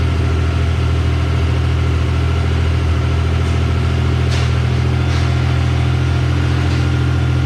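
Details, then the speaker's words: Mazda MX-3 after swap to a 2.5L V6 KLZE engine with turbo plans and larger 65 mm throttle body, first start: deep, even V6 idle rumble, smooth steady beat, no knocks or misses after a loose wire was fixed; normal idle. "yeah the kale is that he runs and it runs mint first try first try pur's like a kitty"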